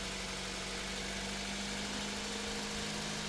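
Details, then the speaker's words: Honda City at idle after A/C repair (compressor had stopped working; compressor oil changed, new drier and belt), testing revving and heat, temperature not high, A/C cycling normally: steady, even idle, no knocks, rattles or belt squeal; normal idle. "ตอนนี้เราเล่นเครื่องนะของเล่นเครื่องได้อยู่เขตตรงสาความร้อนไม่สูงนะครับกำลังเทสเรื่องเร่งเครื่องและความร้อนจะสูงไม่นะแกตัดต่อปกตินะครับ"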